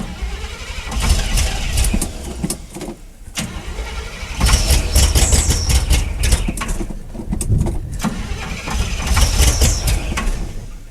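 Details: 1979 Chevrolet half-ton square body V8 with rebuilt carb that has a fuel leak: catches and runs lumpy, exhaust swelling and sagging unevenly instead of firing steady; ignition timing issue makes it rotate unevenly.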